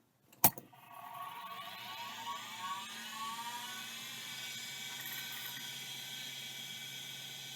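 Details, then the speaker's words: KL330 vintage hard drive, the RLL version of the KL320, on power-up: a sharp click, then a rising whine with warbling, wavering tones as the platters come up to speed. The spin-up sounds rough, but the drive initialized. "well it initialized"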